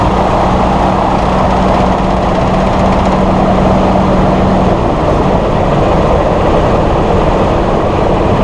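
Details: Massey Ferguson 1739E compact tractor driving a RhinoAG TW25 3-point rotary cutter via PTO after hitch setup: steady even roar, constant pitch, no knocks or grinding; healthy run.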